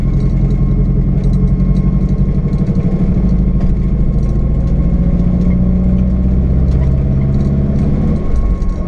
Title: GTT First Drive Misfire ?